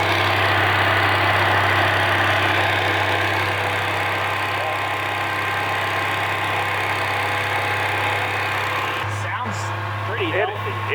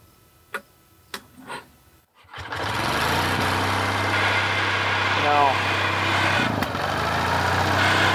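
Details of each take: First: Roughly 78-year-old two-cylinder water-cooled Onan generator on first revival run, about 15 oil pressure, some noise thought to be from the fan: steady, even beat with no knocks or misses; sounds pretty good; normal idle. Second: Roughly 78-year-old two-cylinder water-cooled Onan generator, first run after revival: after sharp knocks it settles into a busy, slightly uneven run with a light rattle, oil pressure about 15; suspected debris in the fan that clears itself.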